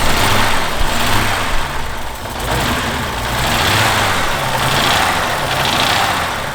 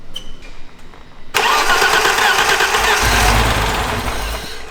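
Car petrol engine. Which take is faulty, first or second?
second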